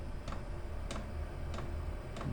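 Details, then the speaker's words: Chinese diesel air heater at start-up, after about 3 minutes of glow plug preheat: soft, sharp ticks roughly every 0.6 seconds as the dosing pump drips diesel onto the glow plug; normal pump ticking. "That's pumping the it's only like a little drip of diesel that's coming through onto the glow plug, and that'll start getting hot quite soon."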